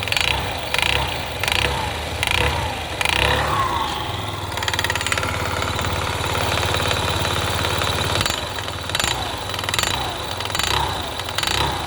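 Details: Yamaha Gear scooter engine revving and settling with sharp, regular knocks cutting through the running noise; engine knock from inside, cause not yet pinned down.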